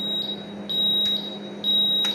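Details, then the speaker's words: CNC milling machine at power-on: shrill high beep pulsing about once a second over a low hum; startup alarm that stops when reset is pressed. "kemudian kita tekan reset supaya bunyi alarmnya berhenti."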